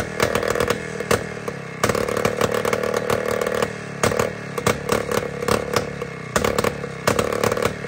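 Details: Jawa 250 type 592 two-stroke, just after a full overhaul, surges and stumbles in uneven bursts instead of holding steady revs; the float is seen not sealing, and an air leak at the crank seal or carburettor gasket causes the poor running.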